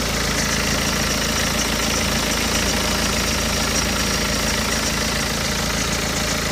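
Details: BMW 120d, N47 diesel, 125,000 km, cold idle: a steady light, fast metallic rattle over the engine, clearly audible in cold weather; timing chain noise suspected, not confirmed.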